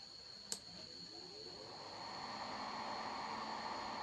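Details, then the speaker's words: Rilon welding transformer that died when welding, after optocoupler replacement: 25 V now reaches relay pin; one crisp relay click at switch-on then steady fan hiss builds; relay pulling in normally. "Ya, sudah terlihat 25 volt masuk di pin relay dan tadi relay sudah berbunyi klik tandanya relay sudah bekerja"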